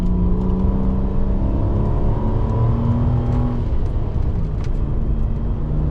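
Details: FG Ford Falcon XR6 Turbo after ANTZ turbo-side intake and battery relocation install, intake muffler and piping removed, charge pipe refitted: deep smooth free revs with strong intake rush; healthy turbo six.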